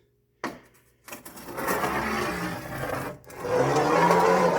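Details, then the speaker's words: Hemi roller lifter rolled by hand across a sheet of glass: gritty, rough rumble instead of a smooth spin, though the roller looks smooth with no pitting; worn roller lifter bearing going bad. "That's not the piano making that sound. That roller lifter is in the process of going bad."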